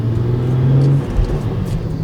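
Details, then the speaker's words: 2011 BMW 335i (N55) with single-exhaust VRSF catback and 3.5-inch downpipe, driving after cleaning the VANOS solenoids with compressed air: smooth, even engine note that rises cleanly under throttle, no stumble or hunting; check engine light and idle issue gone. "Ooh, that sounds good. So cleaning the vanos solenoids seemed to work."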